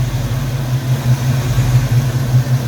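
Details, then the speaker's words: Foxbody Mustang after distributor swap, retimed with the pickup removed to about 14 degrees advance: low even idle rumble, steady regular beat, no misses or stumbles; normal idle, timing sounds right. "but we're good now we're about 14 degrees advanced"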